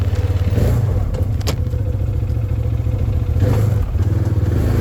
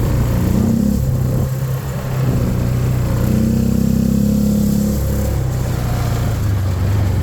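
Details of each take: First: 2013 Arctic Cat Wildcat 1000 side-by-side on its first drive after repair: a steady, smooth V-twin drone rises and eases with throttle, with no misses. The high idle went away, and the owner suspects there was just air in the fuel system. Normal running. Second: 2013 Arctic Cat Wildcat 1000 side-by-side, a non-runner being revived. Uneven, lopsided putter that wavers as revs rise and fall: running, but running badly.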